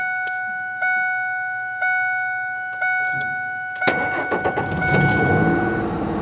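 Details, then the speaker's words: 2003 Ford F150 after a chipless ignition lock cylinder swap, with the old transponder chip glued into the steering column and the battery reconnected: four chimes, a brief crank, then it catches and settles to a steady idle; immobilizer now reads the chip. "Oh yeah. Yep. That feels really good. So we have successfully switched from the key and lock cylinder with the transponder chip to a key without a transponder chip."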